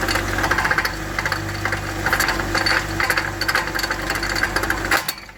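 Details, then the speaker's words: 2019 Dodge Grand Caravan, 109,000 miles, sat several months, dealer claimed transmission needed: in drive with car elevated, irregular metallic clicking and clatter over driveline hum; broken CV axle, cage broken and balls out, needs replacement. "oh that's dangerous it's kind of like expecting something bad to happen but I didn't know exactly when but either way we need to replace the CV axle"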